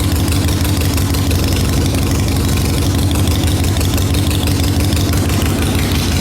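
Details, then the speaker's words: 2003 Harley-Davidson Sportster XL883 Hugger, first start after 10+ years sitting, fuel drained, carburetor pulled: deep even lumpy V-twin beat at steady idle, no knocks or misses; runs well. "This 883 sounds good. Holy crap. Man, this thing sounds good."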